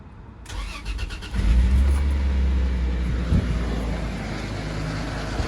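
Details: Toyota Land Cruiser 80 FZJ80 with 1FZ-FE petrol engine cranking, catching, then idling with a low loose rattle; source not identified.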